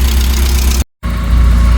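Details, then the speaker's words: 1988 Porsche 944 race car, first start in months on a jump battery (dead battery being charged): deep, steady idle with a regular beat and no stumbles or rattles; runs good, idles good, normal idle. "All right, so 1988 Porsche 944 runs good, idles good."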